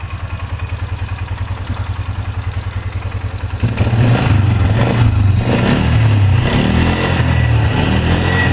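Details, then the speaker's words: 2003 Polaris Ranger 4x4 500 after replacing leaking cam chain tensioner seal and gasket with RTV: even idle, roughly three to four firing pulses a second, no knocks or ticks; idled about 10 minutes, no leaking. "Well, it's been idling now for about 10 minutes. So far, no leaking, no spraying."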